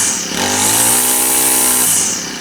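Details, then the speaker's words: Honda GX25 four-stroke trimmer after full service, run outside on straight gas, warming up; revs cleanly from idle to a smooth steady high pitch and drops back evenly, seems to run pretty good, normal running. "Seems to run pretty good."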